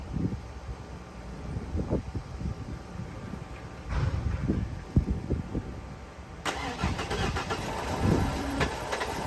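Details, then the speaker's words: OBS Ford F-150 after reinstalling fuel tank and replacing fuel pump; pump works, but starter cranks in uneven bursts and engine catches briefly without running; crank, no start, owner suspects 3-year-old fuel in tank. "Obviously you could hear that it was trying to crank, it was trying to get some fuel into the engine, but it wasn't working."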